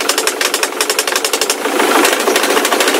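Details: Ford Mondeo 3 turbo-diesel at idle: sharp, fast metallic knocks, loud and clear; sound seems to come from the left side, like a chain, source still to trace; heavy black smoke on revving.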